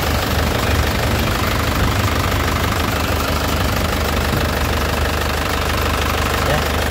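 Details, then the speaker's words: 2014 Isuzu Panther LS Turbo diesel at idle: stable vibration and crisp, even clatter with no misses or odd knocks, no blow-by or smoke. Normal diesel idle. "Jadi, dari getarannya stabil, tidak goyang, tidak pincang ya. Suaranya juga renyah khas penter ya. Jadi mobilnya memang sehat."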